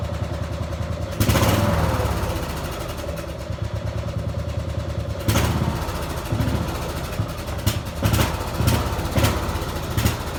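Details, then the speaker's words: Small single-cylinder spark-plug gasoline tractor engine running on diesel fuel: it idles roughly, with sharp knocking bursts only when the throttle is opened. "If you listen closely, you can hear it knocking. And it only knocks like that when you give it gas, like any other diesel."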